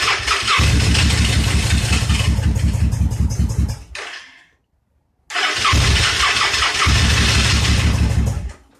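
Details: Victory V-twin motorcycle assembled from spare, broken and wrong parts, retried after the TP sensor was found unplugged: it runs a few seconds with uneven lumpy beats, dies, restarts and stumbles before cutting off; cause not confirmed.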